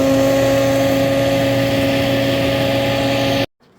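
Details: Frigidaire dishwasher during operation: loud, steady engine-like drone with a strong hum; defective motor found and replaced.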